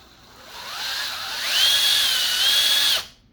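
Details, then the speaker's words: 1/10 scale RC after swapping to a wider Cross RC hub so the wheels thread on securely; smooth motor whine climbs and holds steady with no grinding or skipping, the low-speed tire bounce isn't from a bent part, drive runs normally. "you can probably hear and see the tires there that's that low low speed sort of bounce i was talking about i thought maybe there was something bent but it's not"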